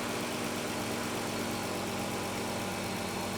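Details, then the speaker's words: 2013 Dodge Caravan 3.6L, flashing throttle light, parts store suggested coils and plugs: steady idle with uneven lumpy undertone; scan shows P0300 misfiring on all cylinders, worst on 1, 3 and 5. "all right so we are basically misfiring all over the place"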